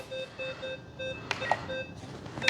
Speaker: and then all you got to do is flip the switch and it'll shut up which is nice because you will get annoyed by it if you're not using it